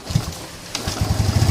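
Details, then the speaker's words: Lagenda 115 FI motorcycle, started cold after cooling (it dies when hot, losing spark and fuel pump pressure): single catches after a pause and chugs unevenly, pulses bunching, timing sounds off. Rough running after cold start. "oke dia hidup ya tapi Ah semput kurang dengar timing tak cantik seolah-olah motor ni memang bermasalahlah memang tak sehat"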